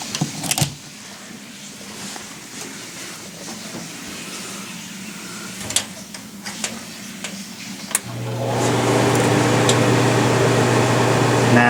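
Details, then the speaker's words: Whitfield pellet stove that will only start after the plug is first removed for a while. A few quiet clicks, then at about eight seconds a steady fan hum comes in and holds even: it lights and runs normally. "it's working"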